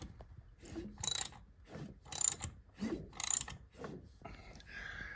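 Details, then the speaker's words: 1997 Honda Valkyrie flat-six barn find turned over by hand with a socket on the crank: slow ratchet clicks and air-pump whoosh, no clunks or rattles, turning freely. "Anyway, nothing's clunky. Um, it's turning very nicely. Feels just like it should. It sounds right, too."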